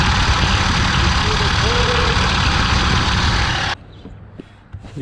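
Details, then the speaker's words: 2003 Ford F150 4.6L running with a harsh rattle and a steady beat about four per second from the belt drive; the failing tensioner pulley, with the belt partly coming off, is to be replaced. "That noise coming from that tensioner pulley. We're going to replace the tensioner pulley."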